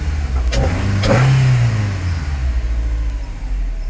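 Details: 2004 Nissan Altima 2.5 with open intake filter and MAF adapter, warmed up a few minutes: deep throaty rev swells, holds, then drops back to steady low idle; healthy engine breathing loudly, sounds better than stock.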